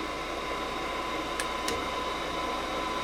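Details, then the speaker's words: Gas furnace that won't get gas: inducer motor hum, pressure switches close, relay clicks and the igniter comes on, but no gas valve click or burner light-off follows; the gas valve isn't opening. "Gas valve won't open up. So we'll just shut that off for a second."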